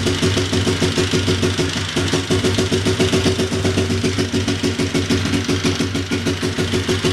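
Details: Big Bear ATV single-cylinder, first start after a top-end rebuild with the timing chain refitted and valves adjusted by feeler gauge: steady even idle with no misses, knocks or smoke; sounds healthy.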